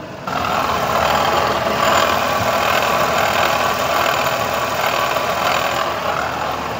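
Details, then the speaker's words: Renault Kwid Climber at idle before water pump replacement: a rough, gravelly growl running under the idle, steady with engine speed, described as a terrible noise; worn water pump bearing. "आणि आधीचा आवाज आपल्याला ऐकवलेला त्यामध्ये भयंकर आवाज होता"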